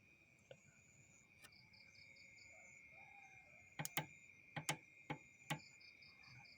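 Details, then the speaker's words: Idle-up solenoid switch for the AC idle-up, bench-tested with wire to battery positive: crisp single clicks, about six over two seconds, each time power is touched on, over insect noise; the solenoid switches properly, normal. (RPM drop with AC is the fault being checked.) "Nah, karena tadi ada bunyi cetek-ceteknya, berarti bisa dipastikan switch ini berfungsi bagus ya guys, masih bagus, masih berfungsi dengan semestinya."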